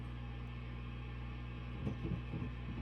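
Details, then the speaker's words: Peavey 5150 II tube guitar amp on the normal channel: steady hum, and knocks on the chassis bring rattly ringing bursts through the speaker; microphony traced to R82, a 470K preamp resistor, not the tubes, to be replaced. "These are not microphonic tubes. Well, what's causing that microphony is this. You hear that? That is that's R82, and that's a 470K resistor there."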